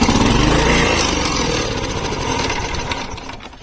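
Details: 32-year-old Honda HR214 mower on full choke with the fuel kill switch disconnected; it fires and chugs unevenly for about a second, then slows and fades out within three seconds. The kill switch is ruled out; the carburetor is suspected.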